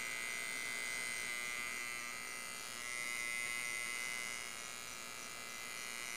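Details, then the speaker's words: Homemade 12V-to-220V inverter with MOSFETs and small transformer, output about 190V: loud, steady, harsh buzz from the transformer core, poorly varnished and clamped, not a circuit fault; MOSFETs not overheating. "Então nesse vibrados barulho bem alto aí é devido ao próprio transformador o feitio do transformador só pessoal"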